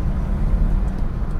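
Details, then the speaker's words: 2016 BMW 320i, drivetrain message, fault codes 1D3101/1D3201; full throttle, heavy engine drone and turbo, revs creep up but car doesn't go; suspected clutch slip from slave cylinder valve cutting fluid pressure, not confirmed. "all right i'll just try and show you this so foot to the floor revs [ __ ] creep up you hear the turbo sort of"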